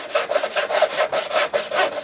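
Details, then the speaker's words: Freshly sharpened thin turning saw blade (rip cut) on curve cuts then dovetail waste: crisp, even rasping strokes about five a second, clean without snagging; sharp saw cutting normally. "That did a pretty good job at that. Let's just try one more. Well, I would say it's working pretty well."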